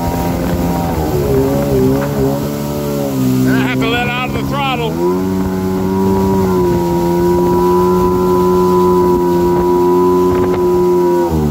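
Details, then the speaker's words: Rebuilt 2000 Yamaha XL800 (new crank, rods, pistons, rings, carbs rebuilt, fuel filter, impeller); steady two-stroke note surges up and down once it hits about 5000 rpm, fine at idle; cause unknown. "once it hits 5000 it does this surging oh you hear it anyway if anybody in youtube has had this problem i cannot find it anywhere online"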